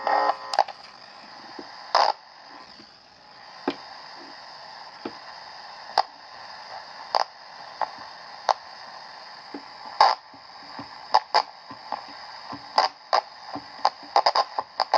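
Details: Candle pocket radio before repair: steady static hiss with scattered crackles and clicks and no station. Suspected cause is noise produced after the oscillator into the converter being amplified; not confirmed.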